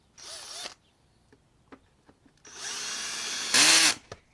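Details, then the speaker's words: Drill/driver refitting screws while reassembling an Echo PB250-LN during coil replacement: short whirring runs, then a louder rattling burst as the clutch slips when the screw seats; normal clutch slipping. "Hear that? The clutch just stops it, so it's not gonna."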